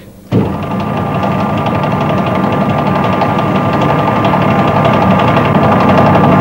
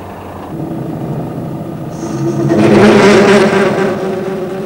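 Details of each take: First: Lathe turning a long bar held in the chuck, free end now supported by a dead centre in the tailstock. Before this, the tool feed made the bar deflect, vibrate and chatter. The cut is now steady with an even hum and no rattling chatter. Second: Lathe turning a long bar held only in the chuck, cut at the free end: a rough buzzing chatter swells as the tool feeds in and the work deflects and vibrates, giving a poor finish. A tailstock dead centre cures it.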